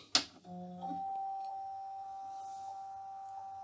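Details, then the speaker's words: 1990 Macintosh Classic, earlier battery-leak damage: at power-on a sharp click, then a thin steady whine that never spins up. The internal hard drive has crashed and the machine won't boot, though the screen shows a working mouse pointer. "And the noise you hear comes from the hard drive, and it is of course a crashed hard drive."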